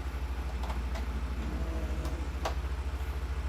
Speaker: all right so I heard the click of the the power supply that's good